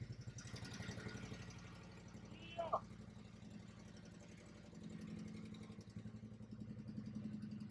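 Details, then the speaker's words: Harley-Davidson CVO just after a 3-hole oil change with Syn3 20W-50, in neutral: quiet, loping V-twin idle with a steady, even beat and no knocks or ticks. Normal idle. "Looking good. Looking good."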